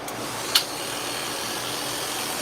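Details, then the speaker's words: Dog groomer's clipper blade being tested after sharpening: a steady high buzz with a harsh chattering edge and a sharp click, because play in the blade socket lets the blade rattle. "That's noisy. We're going to fix that first. I think they're all going to be noisy."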